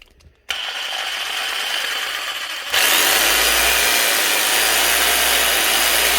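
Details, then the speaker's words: Makita 4300BV jigsaw, simple up-and-down blade with no orbital action, variable speed switch; smooth, even high motor whine with steady blade chatter, no knocks or grinding, running healthy. "Not even any oscillation from moving the blade. Just up and down and that's it. Very basic, but very powerful."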